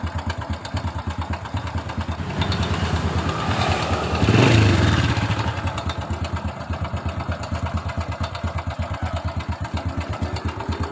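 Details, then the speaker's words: 2007 Honda Supra Fit New, rough kletek-kletek noise around the cylinder head: small single idling with a dry, quick top-end clatter that grows with a throttle blip; cam chain found very slack. "Ya, masalahnya motor ini mesinnya bersuara kasar di sekitar cylinder head. Ya, langsung saja kita hidupkan. Bunyi kletek-kletek."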